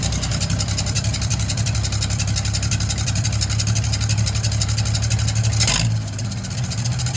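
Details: Oliver 77 gasoline tractor after a carburetor clean-out, choke on, out of gear, GM 3-wire alternator conversion: rapid, steady low chugging at fast idle with open exhaust bark and even rhythm; engine now running fine.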